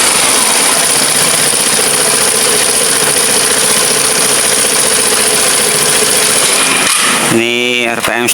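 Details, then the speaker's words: Vespa automatic (Sprint) scooter after wiring tidied and refitted: steady high-pitched idle holds over 10 seconds without sagging or dying, where it used to stall, then picks up cleanly when revved; normal stable running. "Saya diamkan apakah RPM-nya itu turun sekitar 10 detikan dia biasanya turun. Dan ini RPM sudah 10 detik ini tidak turun."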